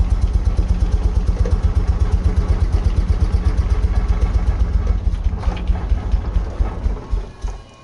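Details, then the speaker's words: Nissan 240sx 2JZ swap, first runs with many vacuum ports open: uneven lumpy exhaust pulses that stumble, then the engine dies; rough running, vacuum leaks suspected and O2 sensor connection questioned, not confirmed. "and sounds like crap normally they run pretty good"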